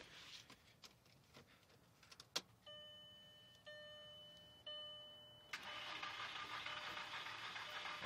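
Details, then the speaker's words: 2001 VW Jetta GLS 2.0, no start for months: clicks and chimes, then a steady airy whizz as it cranks without firing; a screech occurs if the key is held. "So, there's like a whizzing sound that happens when I try and turn it on."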